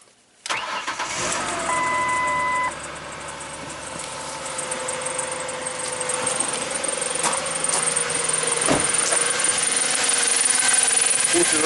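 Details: 2004 Ford Explorer 4.0 SOHC V6 with intermittent overheating, no dash heat and a spiking temp gauge; quick crank, fast catch, even steady idle with no ticking, knocking or stumbling; smooth start and idle, with the water pump impeller suspected.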